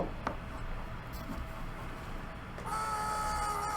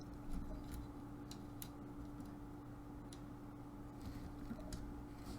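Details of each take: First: Dropped Dell Inspiron 15 laptop: a low, uneven rumble, then a sudden steady high whine around 800 Hz and 1.2 kHz from the CPU fan, which stops spinning when pushed to full speed; a screw was found missing inside. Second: Dell Inspiron 15 3576 after repair of a dropped laptop whose fan was extremely loud and stalled at full speed: faint, even hum with no rattle or grinding, only the odd light click; fan now running quietly and healthy.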